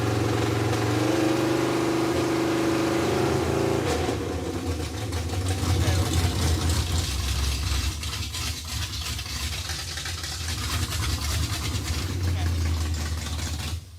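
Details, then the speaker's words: 1957 Chevy Bel Air junkyard car after 30+ years, fresh small-block 307 V8 with Turbo 350, after fuel problem fixed: V8 idles with an even rumble, revs cleanly and settles without stumble or misfire; running healthy. "it is fixed dude it's freaking fixed it sounds pretty good too"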